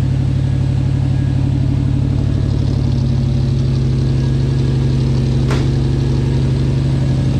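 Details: 1979 Lil Red Express truck just started after six months of winter storage, warming up: even, deep V8 burble about four pulses a second, no knocks or misses; healthy warm-up idle.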